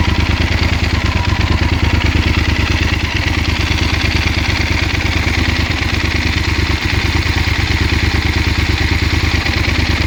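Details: 2016 Yamaha Super Ténéré 1200 ZE: steady twin idle, about three pulses a second, with a light clatter on top; abnormal engine noise, cause unclear.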